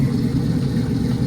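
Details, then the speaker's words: Carbureted V8 just fitted with a rebuilt carb: steady low rumble with an even, unbroken beat, no misses, knocks or hunting; normal idle. "Smooth install going put in here. Drop of G. It sound good too."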